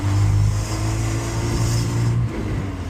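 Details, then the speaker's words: 944 project car on its first drive in the rain, in second gear, after a long no-start later traced to bad gas. Under acceleration there is a low, uneven, lumpy drone with dips in power: rough running and misfiring. The owner thinks it ran out of gas. "Oh, it's so rough. Oh, she misfiring. I think she run out of gas, honestly."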